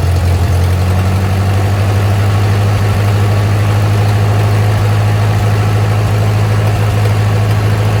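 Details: Ford 8N tractor revived after sitting over five years, choke mostly closed: low idle with a deep even throb, a little rough early, then settling into a reasonably consistent run.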